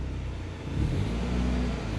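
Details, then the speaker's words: 1988 Ford Escort GT, 1.9L DOHC: engine note climbs and hangs at high revs while the car barely pulls over a steady drone; the worn clutch is slipping under load, with no clutch left. "let's try that again oh okay there we go just a little slippy slipping and gripping"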